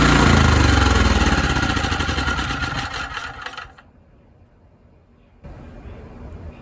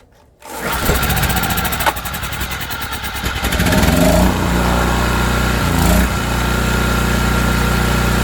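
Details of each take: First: ETQ TG3000 3000 W portable generator, air filter off, primed with spray into intake: fires, runs briefly, then sags and dies within about four seconds. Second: ETQ TG3000 3000-watt portable generator, bought non-running and repaired, restarted with choke on after shutdown: catches within half a second and settles into a steady, even run with no misses or knocks; normal start and running.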